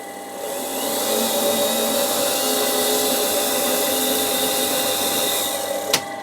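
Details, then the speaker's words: Bridgeport Series 1 2J2 2HP mill, table power feed reversed and then switched to high-speed traverse: smooth motor whine rises quickly and holds steady, ending with a single knock. Rapid traverse runs normally. "And that brings it the other way. And then you've got your high speed traverse."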